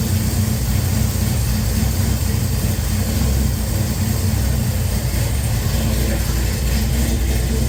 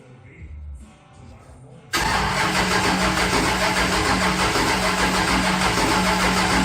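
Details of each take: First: Henry J engine freshly started with a Sniper EFI and replacement GM HEI module, idle-air screw opened, warming up: low, steady idle held evenly without stumbling, surging or misfire, getting louder as it heats; normal idle. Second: Henry J engine with an untuned Sniper: even starter churning at about 200 beats a minute that never catches or fires, a crank no-start with no spark.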